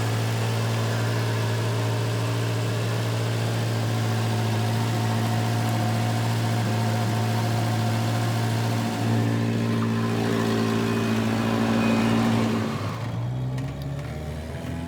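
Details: Volvo 240 after timing belt change, running with a slightly high idle and possible disconnected vacuum line: steady rapid ticking puff about four per second over the low drone, an exhaust leak.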